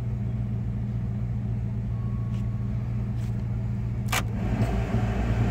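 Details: 1996 Dodge Ram 5.2 V8 after cleaning a very dirty throttle body and fitting a new IAC valve, AC running on a hot day: low, even burble holding steady under the AC load with no hunting or stumble. The fix is judged a success. Normal idle.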